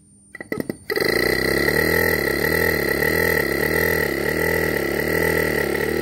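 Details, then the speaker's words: LG no-frost inverter fridge BMG089NHMV (R600a), forcing the start with a test driver after a board swap: clicks, then steady hum with a gently wavering tone, no knocking. The board signals fine, but the original compressor won't run; compressor replacement needed. "el compresor Así que la placa electrónica me está mandando señal al compresor correctamente pero al original no lo mueve sino de que empieza a tirar un código de Luces"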